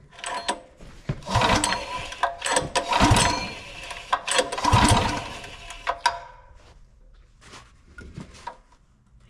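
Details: Golf cart swapped to a brand-new engine, first start attempt after adding gas: several recoil-pull whirs, each dying away without catching or firing; engine won't start.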